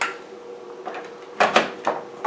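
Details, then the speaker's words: APC Back-UPS M1000 after repair replacing capacitors C40 and C41, on mains power: quiet hum, then several crisp relay clicks in quick succession as it switches; normal power-up. "that on you should hear some clicking let me know okay let's try to turn it on there we go"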